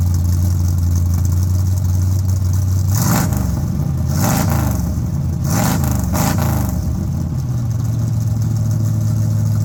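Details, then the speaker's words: Engine's first start after an overdue tune-up replacing worn parts: steady idle, then several quick throttle blips rising and falling cleanly before settling; pulls smoothly without missing, runs normally. "And I'm really excited for it because that stuff was really clapped out and I think it's going to run really nice and smooth."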